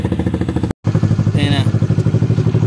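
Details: Honda RS150/Sonic150 after a blown fuse and fitting a new Honda Thailand regulator/rectifier, charging about 14 volts: small single settles into a steady, even putter at idle with no misses or rattles; normal idle.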